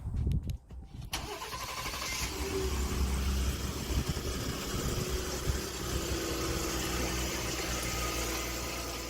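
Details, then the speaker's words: Ford EcoBoost after cam phaser replacement: cold engine cranks, catches and idles with a loose, busy metallic rattle from the turbo wastegate, recorded without the fix springs installed (before repair). "I want you to listen real careful to this rattle without the Springs"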